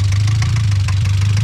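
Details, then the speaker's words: Mazda Miata after new coil packs, spark plugs and a fixed intake-manifold ground: steady low idle drone with faint regular knocks, stalls with any throttle; owner suspects bad rod knock, not confirmed. "okay guys after a lot of trial and error i definitely gotta run in but if you can hear that this thing's got rod knocked bad"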